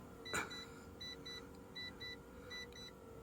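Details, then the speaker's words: 2000 Mazda Bongo 2.5 V6 petrol with the ignition on, pop-up roof operated by its button: quiet motor hum under short, evenly repeated high beeps as the roof rises; normal pop-up roof operation. "Okay, right, where's the button? Open, close. Oh, it's making all the right noises."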